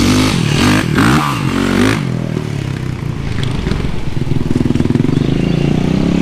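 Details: Rebuilt Yamaha YZ450 engine after replacing stretched timing chain: fires and settles into steady even beat, no ticking or rattle, much quieter than before. Normal running.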